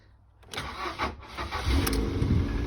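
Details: Ford Fiesta Mk6 with immobiliser light flashing and no crank, fixed by replacing blown 3 amp fuse (borrowed radio fuse): brief crank, catches cleanly, steady even idle; starts and runs normally.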